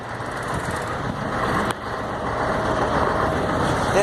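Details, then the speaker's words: Mercedes-Benz 1634 diesel truck on test drive after differential repaired and reassembled, previously noisy when lifting off the throttle: steady road rumble and cab noise with no howl or clunk on or off throttle; differential now quiet and healthy. "acabou o barulho mesmo acabou o barulho mesmo acabou o barulho Acabou lá acabou rapaz roncava feio você viu agora já acabou resolveu o problema"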